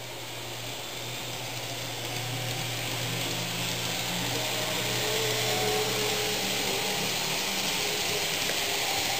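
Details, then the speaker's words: Fox Valley Models N scale GP60m locomotive, lubricated and broken in for hours, no DCC or sound: quiet at yard speeds, hissy whir and rising hum at road speed; bearing noise, unresolved. "So we can creep along at yard speeds practically with no noise, but try to get up to a more normal road speed, and then the noise starts."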